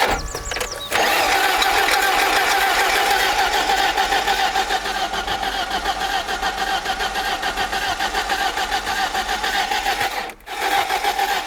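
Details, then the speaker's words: Barn-find BMW E30 off road 15 years, last started 10 years ago, fed by external tank, fuel pump and battery: starter churns steadily for seconds, never catches; spark present, pump primes but injectors not injecting fuel (owner also wonders about crankshaft sensor). "so after several attempts doesn't start so conclusion we got spark obviously fuel pump is priming but it doesn't inject the fuel"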